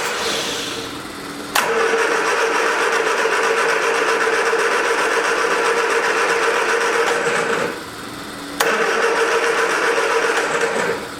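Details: 1979 Triumph Spitfire: two long cranking bursts with a quick steady chug about four per second, never catches. No fuel at the disconnected fuel line; owner expects to replace the pump.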